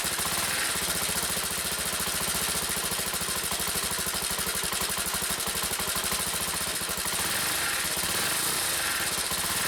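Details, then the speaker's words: Honda CBX125 motorcycle, stationary with revs raised: fast, harsh rattling buzz over the exhaust beat that appeared while riding nearby; owner suspected low fuel and topped up, cause later found and fixed. "停止してても、エンジン回転数を上げると、変な音がする。"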